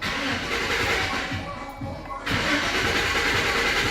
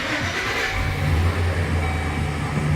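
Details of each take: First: Chevy with erratic gauges that starts and dies, fuel pump already replaced: the starter turns the engine over steadily and briskly but it never fires. Cranks but no start, traced to a bad negative ground wire running battery–alternator–body. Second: Chevy van with a no-start and erratic gauges, after the main engine ground wire behind the AC compressor was addressed: the engine catches at once and settles into a steady, smooth idle. Normal start.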